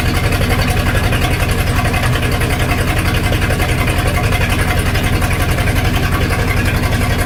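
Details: 1999 Formula 232 boat with an inboard V8 replacement motor at idle: a lumpy, uneven thumping misfire, found to be a 496 cam in the motor requiring a different firing order.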